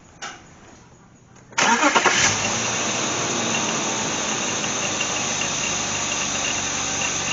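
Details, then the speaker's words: BMW Z3 2.8-litre after a cold start, at idle: a constant high squeak with a light rattle from worn idler and tensioner pulley bearings, noisy under load. The squeak used to fade when warm but now persists; an earlier water pump replacement didn't fix it. "Now, the funny thing is is after she warms up, the squeak starts to go away, but it's lately I've noticed the squeak is still staying in here and so it it's it's definitely time to change it over."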